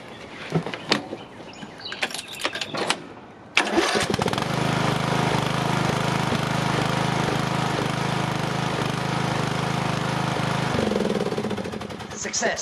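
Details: Craftsman 18.5 HP lawn tractor, model 917.273811, Briggs & Stratton 18.5 Intek engine, after valve adjustment fixed binding at a quarter turn; spins freely, fires within a second, runs smoothly. Normal start and idle.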